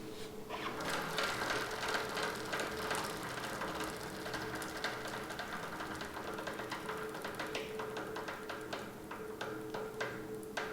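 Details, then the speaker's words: Motorcycle chain and sprocket, wheel turned slowly by hand: sharp uneven "kat kat" clicking about three times a second from unevenly stretched chain on worn sprocket teeth; chain and sprocket kit needs replacing. "तो ये जो इस side से जो cut cut cut ऐसे करके आवाज़ आ रही है ये है हमारी प्रॉब्लम एंड इसी की वजह से ये जो चैन स्प्रोकेट किट है ये हमें रिप्लेस करना पड़ेगा।"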